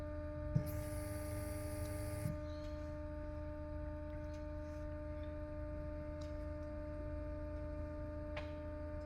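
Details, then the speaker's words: Porsche Cayenne V6 diesel with no-power limp mode after DPF cleaning, engine off during diagnostic actuator test: relay click, then steady low electric hum with faint whine from the auxiliary fuel pump; working normally. "I can hear the office for auxiliary fuel pump it's working you hear it that's the relay it's working that's for the auxiliary fuel pump"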